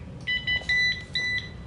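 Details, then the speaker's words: Rascal Carbon Cruiser folding powerchair at power-on: four high electronic beeps from the controller mean the neutral levers are set to freewheel, disengaging the electromagnetic brakes, so the chair will not drive. "And you hear that beeping sound. What that means, I'm going to turn that off. That means we're in neutral."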